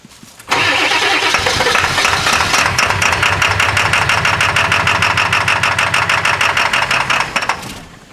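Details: 1997 Ford F-250 7.3L PowerStroke turbo diesel, cold start at 65°F: long, steady starter chugging at about three beats a second before the diesel finally catches and runs. Hard cold start, attributed to bad injectors.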